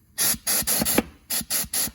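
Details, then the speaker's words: Dodge 68RFE transmission with a persistent no-reverse fault, air-checked on the bench: sharp bursts of escaping air, about seven in two seconds, at the low/reverse clutch circuit with a huge pressure loss. It doesn't hold at all, which is the cause of no reverse. "And there's a huge pressure loss. There is something going on in here. It doesn't hold at all."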